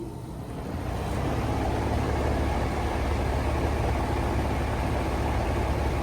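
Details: Goodman AC freezing into solid ice, condenser starting with gauges attached: steady low hum and fan rush; gauges then show very high subcooling, low superheat, suggesting clogged metering device/liquid line restriction, not yet confirmed.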